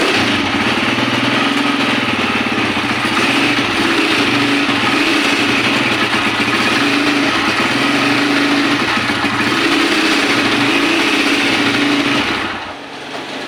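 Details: Honda TMX155 CDI motorcycle that is hard to start despite all parts reportedly being replaced: the single runs unevenly at about three pulses a second, sputtering and backfiring before dying.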